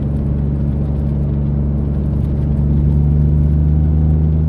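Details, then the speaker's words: Mitsubishi 3000GT SOHC with gutted catalytic converters, about 3,200 rpm in third gear, after earlier falling flat at 4,500-5,000 rpm; deep steady engine drone under load pulls cleanly, no misfire or stumble; response much better. "Currently at about 3,200 RPM. Third gear. Engine response is way better. I mean, it feels like I'm driving a totally different car now."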